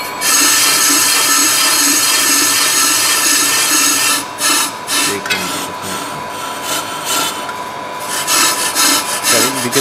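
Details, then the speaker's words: Pro-Cut 9.0 on-car lathe rough-cutting an EBC grooved brake disc: harsh scraping cut breaking into gaps about twice a second as the tool touches only high spots, showing disc distortion and misalignment (run-out). "let's see if it gives an intermittent cut or you can hear clear intermittent shutting down which shows that there is distortion and misalignment on this dish"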